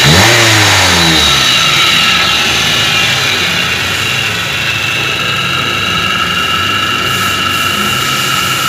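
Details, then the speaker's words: Toyota Avanza, owner reports rough whine from engine bay on acceleration: steady high whine over engine that stays strong while revving, loudest at upper idler pulley bearing on stethoscope check; bearing replaced afterward. Idler pulley bearing whine. "kita jelas Hai suara desingan terdengar dari judul bearing atas yang paling kencang"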